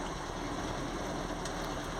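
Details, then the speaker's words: FSC Żuk old 1-ton truck, hot after driving (oil temp up to 95 °C), after loose bolt rattle fixed: loud raspy run with rough hissing edge under exhaust note; exhaust leak still there, same loudness, leak note rowdier. "the exist is exactly as loud as before just this leak note is different it's more Rowdy but you can hear it's not because of the straight pipe but because of the click"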